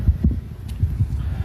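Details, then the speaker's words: Grandfar 550 W automatic water pump running before repair: deep, uneven throbbing hum pulsing several times a second, much louder than it should be. "bu nasosimizni ovozi katta chiqib ishlab turibdi. Ovozi katta chiqib turibdi."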